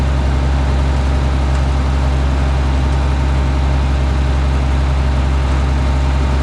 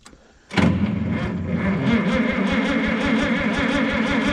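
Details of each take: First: Minneapolis Moline G900 LP tractor, running after bird nest twigs were cleared: a deep, steady idle with an even beat and no misses or knocks; running smoothly. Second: Minneapolis-Moline G900 LP tractor, clutch down, a little throttle: even starter cranking of about four to five beats a second, never fires. Fuel supply was blocked by bird-nest debris in the pipe and carburettor.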